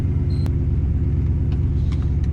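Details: 1966 Buick Skylark with 6-liter LS engine after upgrading to a bolt-in Ford 9-inch rear with limited slip and 3.25 gears: deep even driveline rumble under way with no whine, clunk or grinding, rear end healthy.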